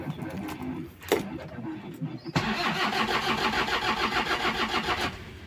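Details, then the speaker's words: Toyota Kijang diesel with overheating history: several seconds of uneven cranking before catching, normally starts in two to four cranks, only starts with throttle; injection pump problem suspected, not confirmed. "untuk startnya agak susah seharusnya itu kalau diesel kalau pagi kalau yang normal itu Du sampai empat kali Kekek Kekek gitu hidup"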